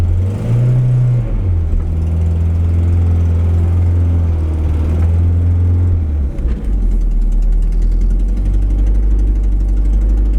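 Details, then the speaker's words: Peugeot 205 CTI after replacing the faulty tachometric relay: blipped revs drop back and settle into a steady, even idle that holds without hunting or stalling; normal idle. "Bon, au final, elle tient bien le ralenti."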